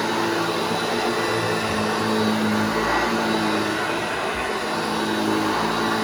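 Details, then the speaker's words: Restored vintage Hoover Junior 1334 vacuum, demonstrated after full restoration and reassembly: even, smooth motor roar with steady pitch, no rattle or grinding; healthy motor running normally. "So there we go, the Hoover Junior 1334 restored, cleaned up, and ready to fight another day."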